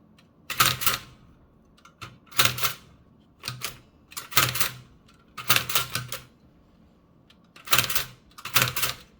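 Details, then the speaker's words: Toshiba BW-3112 Japanese kanji typewriter after restoration and final adjustments, typing English: crisp, even key-strike clacks with no drag or sticking, plus crackling from the backing and front sheets being pressed together; action now smooth, though impression quality is weak. "But most importantly is that now it's pretty easy to type in English smoothly."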